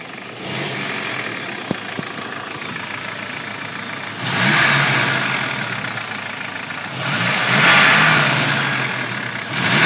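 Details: 1995 Toyota 3RZ four-cylinder, warm, revved three times with the microphone moved close to the engine: a faint dull knock under the rising roar, identified as piston slap.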